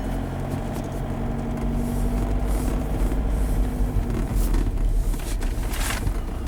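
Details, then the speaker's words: 2005 VW Jetta 1.9L TDI BEW, 09A (Jatco JF506E) automatic, cold at about freezing, pulling away from a stop: engine races higher, never dropping revs though second and third commanded; transmission not upshifting, sticky solenoids suspected. "see the computer knows command the second gear you guys can see that but just racing like crazy it's even commanded third gear and it's not shifting at all"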